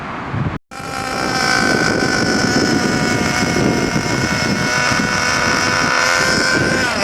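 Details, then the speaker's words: New Nanda Racing NB-5 RC car with SH .21 nitro engine during break-in, tank 2, run very rich in slow figure-8 circles with blue exhaust smoke: high steady buzz with a slightly uneven, burbling edge; rich running during break-in, some inconsistency expected. "So you can see how rich it's actually running because of all that blue exhaust smoke."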